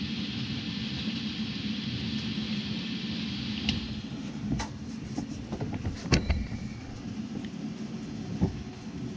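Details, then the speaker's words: Rinnai tankless water heater with error code 10, old blower running before replacement: a steady low rumble with an uneven vibrating drone and a few clicks, and the code then appears. Owner suspects worn blower bearings. "of course it's gonna try and prove me wrong right now it's gonna work perfect other than the vibration sounds"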